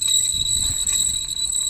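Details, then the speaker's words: Steady high-pitched metallic squeal over low road rumble from the right rear wheel while driving, a drum-brake shoe rubbing the drum after its retaining clip broke; drum itself in poor condition. "в общем правая сторона заднее колесо во время движения появилось такий звук Така така проблемка"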